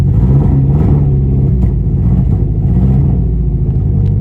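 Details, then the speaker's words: 1.8T Volkswagen B5 Passat with about 400,000 miles, injectors just cleaned and reinstalled, turbo putting out heavy smoke: an uneven, stumbling low rumble just after start-up with the beat wavering, sputtering and running rough; cause not yet confirmed. "Listen to her. This thing sounds gnarly."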